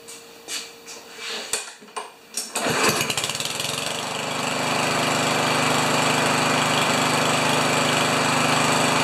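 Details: Powermore (Yard Machines) lawnmower, brought in for starting then stalling, final test run after repair and blade balancing: a few cord pulls, then it catches and settles into a steady, even buzz with no stumbling; runs healthy.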